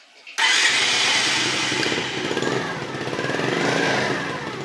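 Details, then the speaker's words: Dafra Zig 50cc bike, a customer's bike, electric start with the key on and rear brake held; the starter engages and the engine catches at once into a steady, buzzy idle; clean, normal start. "Essa moto, quando você pisa no freio de trás, vamos virar aqui a chave, start e freio de trás, ó."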